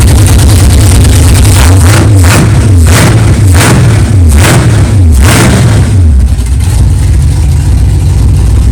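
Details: 1964 Chevelle 383 stroker V8 at first fire-up after an 8-month build, not yet warmed up, 11° timing, 63 lb oil pressure: several throttle blips then a steady idle, no clanging or knocking; good oil pressure, healthy normal idle.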